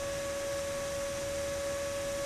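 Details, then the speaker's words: Magnavox ZV427MG9A DVD/VCR combo with replacement ball-bearing cooling fan: loud, steady high-pitched whine; the new fan spins far too fast for its rated spec and is much louder than the original fan. "well I think it's going to have to go back with the used fan because that's definitely louder than the original fan Wells by a long shot"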